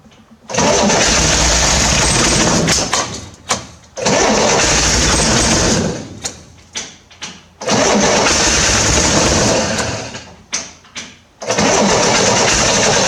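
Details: 1968 Corvair after mechanical fuel pump install, fuel poured in: several cranking bursts, sputters and tries to catch but never keeps running; a fuel line found leaking afterward. Cranks but won't start.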